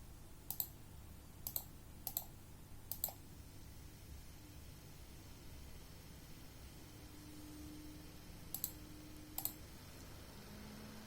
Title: Sapphire Nitro+ RX590 rattling noise